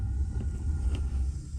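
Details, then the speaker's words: Rheem gas water heater in an attic, just after replacing the burner assembly. On lighting it gives a deep, soft, steady low roar with one faint tick as it catches; the burner is burning evenly, as it should. "now you heard that sound when it lit that that's what I was talking about earlier when you come into your attic or go by your hot water heater you should hear that sound that means that it's burning"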